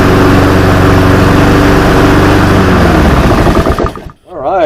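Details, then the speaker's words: Honda GCV190 mower that stalled and wouldn't restart, run after cleaning the clogged air filter and box, filter removed: steady even single-cylinder putter, then smooth wind-down at shutdown; runs healthy. "right looks like the blade control works and looks like she runs pretty good"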